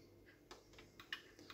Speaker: can hear it clicking and now it will run until it sees the magnets that you have set up on your rack and it will stop at those positions